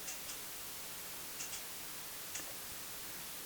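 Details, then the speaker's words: Audio ground-loop demo: after inserting a Cinemag isolation transformer in the line, only faint even hiss with light clicks remains, no hum; the line is quiet. "Listen to that. It's quiet."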